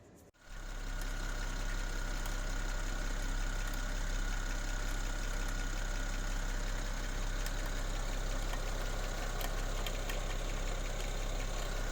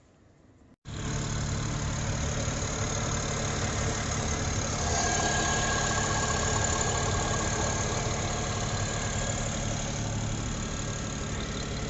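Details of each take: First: 2007 BMW 335i (E90, N54) at warm idle: a fast, uneven snap-crackle rattle in the engine bay, traced with a mechanic's stethoscope to a worn alternator clutch pulley; fixed by replacing the pulley. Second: 2007 BMW 335i (E90 N54), warmed up, after replacing the alternator clutch pulley to cure a warm engine-bay rattle: smooth, even idle with steady low drone and no rattle or ticking; normal idle.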